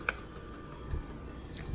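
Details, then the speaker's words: Outdoor ceiling fan making faint, regular ticking about five times a second over a low hum; the noise stops when a blade is moved by hand, pointing to blade imbalance. "you can see there's something off there when i move it it stops making noise but when i let it kind of be in its natural position there's an annoying noise"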